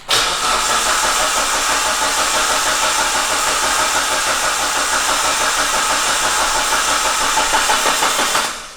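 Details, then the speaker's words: Mitsubishi Evo 6 Tommi Makinen Edition, reunited after 6 years, cranked with injectors unplugged so no fuel to build oil pressure until the oil light went out: even starter cranking, about three compression beats a second, never catches; normal cranking. "so we crank it without the injectors plugged in so there's no fuel going in it so it wouldn't have started"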